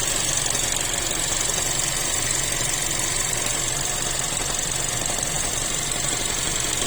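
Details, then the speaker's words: Cherry Tiggo 7 Pro Max Elite AWD with robotized gearbox, idling with no error codes: quick, somewhat uneven knock near four per second that comes and goes; source unknown, still needs tracing. "Интересно, что может там стучать? Cherry Tiggo 7 Pro Max. Не только в басе. Ошибок никаких нет. Может, кто подскажет. То стучит, то не стучит."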